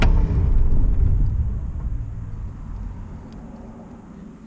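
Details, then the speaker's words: Diesel RV, key off but engine still running through a manual jumper wire, hood up; jumper disconnected: low diesel rumble fades steadily to near silence with no knocking or run-on; clean shutdown. "the engine's still running but the key off so we got to disconnect our jumper and you're going to hear the diesel turn"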